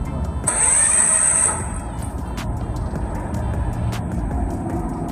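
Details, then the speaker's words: Renault Sandero after starter motor replacement, still not cranking: high thin whine about a second with no cranking thud, starter spinning without catching; flywheel ring gear suspected, not confirmed. "so the only option right now is that on the fly wheel because as you can hear the starter is it's funny but it's not catching onto the fly"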